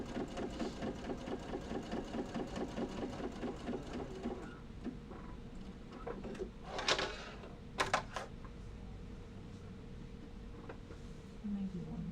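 Quick even stitching bursts for about four seconds, then quiet fabric handling; the machine runs smoothly with no knocks or grinding.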